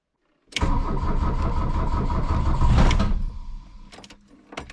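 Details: 1982 VW Rabbit diesel after charging the battery and bleeding fuel, with cold choke out and glow plugs cycled; starter cranks hard for about 2.5 seconds with a few ragged firing puffs but never catches; cranks without starting.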